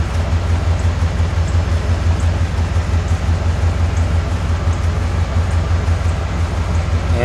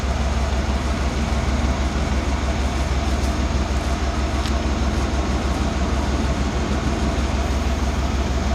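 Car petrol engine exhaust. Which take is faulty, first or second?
first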